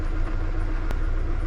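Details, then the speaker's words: Mk2 Ford Mondeo fuel pump that wasn't priming, run with 12 V fed directly from a battery: low, steady hum, no stutter or whine, pump pressurising the system normally. Fault is the car cutting power to the pump. "yep that's pressure the system what do you know with power directly to the the pump that thing CS like a kitten that is as sweet as you like"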